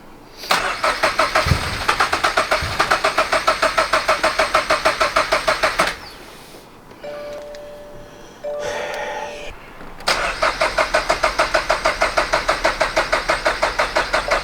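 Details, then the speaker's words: Turbo Toyota GR86 after fitting 1050cc injectors and a DeatschWerks 300c pump: two steady cranks about three turns a second, no firing. The pump runs but the passenger-side injector line got no fuel; they suspect a missing or doubled seal at the pump hanger. "I pulled the passenger side fuel line to the injectors. It's not getting fuel. Therefore, pump's working, but it's not sending fuel."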